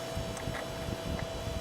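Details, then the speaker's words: Dirty Sunbeam circulator fan, first start of the season, on low: steady airy rush with a thin mid-pitched whine on top; owner thinks it needs oiling and cleaning, but it still moves a fair amount of air. "so an oiling is probably in its future at some point but it's moving a fair amount of air"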